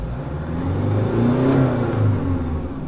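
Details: Diesel with VGT turbo, after repair of a jerk on accelerator tip-in, slow acceleration while driving: note climbs smoothly, no coughing or wind rush, steady intake air and boost readings. Normal acceleration.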